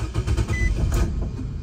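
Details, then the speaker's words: 2018 Nissan Versa 1.6 L four-cylinder, crank-no-start since a paint job, with fuel pressure about 50 to 60 psi: low uneven cranking rumble that catches for a moment then dies right away; bad gas suspected, cause not confirmed. "You guys can hear it sounds like the engine wants to start, but it just dies right away."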